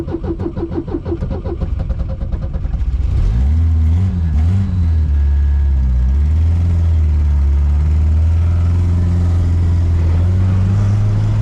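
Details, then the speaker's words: Supercharged 1971 Volvo 1800E four-cylinder with a T-5 five-speed, after charging the battery: uneven lumpy catches, then a loping unsteady idle with wandering revs; rough running, owner suspects a spark issue. "heard this thing's got a palsy in it that sounds like spark"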